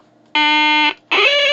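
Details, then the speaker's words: Major Morgan electronic toy organ with fresh battery: two sustained reedy tones, the upper D not sounding an octave above the lower D and sounding sour; off-pitch note. "doesn't sound an octave higher than this other D so I'll take it apart see if I can figure out any way of making it sound less horrific"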